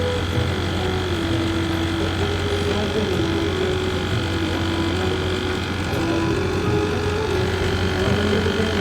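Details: 1-ton AC unit after full gas charge, compressor running at about 4.5 A: steady even drone with a low mains hum and faint tones, no hiss or rattle; unit running normally, no gas leak found.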